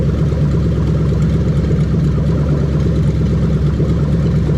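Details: Lexus LS430 3UZ-FE VVT-i V8 on a test stand running a new right-hand-drive engine harness, zero fault codes: idles smooth and even with a steady low burble, no knocks or misses; healthy.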